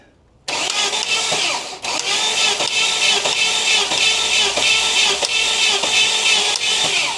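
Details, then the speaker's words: 1988 Saab 900 Turbo that sat a long time and was hard to start, cranked with an external starter button: steady cranking with sharp metallic clacks, not on every rotation. The sound seems to come from the top of the engine near the valve cover; cause unclear. "okay what is that sound it sounds like it's up here it's I think it's right up here"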